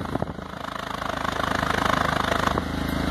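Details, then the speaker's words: 2006 Stratus 2.0 that had a misfire, heard at the tailpipe after a temporary fix: steady, even exhaust puffs, about four a second, with no skips or gaps, no longer uneven as before; even exhaust pulses. "el sonido prácticamente es parejo ese aire que sale ya es parejo ya no está como hace rato"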